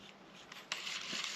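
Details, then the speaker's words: LEYDUN Usopp AliExpress casting reel spun by hand after tightening with a screwdriver: dry, hissing scrape instead of a clean whir as the spool rubs; magnetic and friction brake adjustment give poor precision. "Écoute, c'est pas très joli comme bruit."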